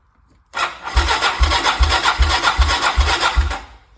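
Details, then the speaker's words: 1987 Yamaha Moto 4 200 ATV, electric start, sat 10+ years, new battery, solenoid jumped with a screwdriver: steady starter whir with even pulses about 2.5 per second, cranking normally; starter works, owner suspects neutral switch. "Starter works. So, maybe it's that switch."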